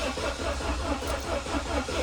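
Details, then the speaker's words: 1993 Saab 900 being revived after sitting: steady, even cranking that never fires, starter stuck engaged and won't shut off; owner suspects the ignition coil, found broken at its terminals. "it's still trying to start there we go i got the starter work but now it works too good where it won't shut off um also it still doesn't start"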